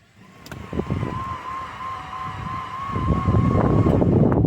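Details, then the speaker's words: 2008 Cadillac CTS4 engine reassembled in the chassis after piston and valve damage, spun over without plugs: even cranking about four beats a second. Earlier noise gone once the timing chain tensioners pumped up and oil pressure came up; normal cranking. "engine sounds normal so I think that was it I think we got oil pressure now"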